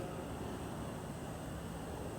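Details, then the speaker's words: Kubota Z482 diesel from a semi-truck APU, powering a hot-water pressure washer with a three-row radiator, at maximum load; temperature 205-208, hotter than the owner would like; low steady drone, no knocking or missed beats. "that was Max uh maximum pull on it that much as you can load it and uh 205 208 it's a little hotter than I would like"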